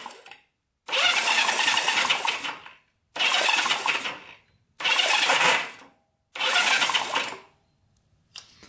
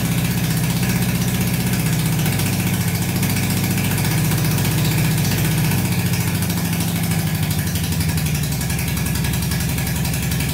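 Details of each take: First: Barn-find Honda CB350 twin (1970 or 1974), sitting for years: four starter bursts of about two seconds each with short pauses, cranking without catching; one cylinder gets no spark, owner suspects points, plug or plug cable. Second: Barn-find Honda CB350 (1970/1974 stated) that sat for years, not previously running; with more fuel added, even deep twin burble holding steady beat with light revving, both cylinders firing: normal running.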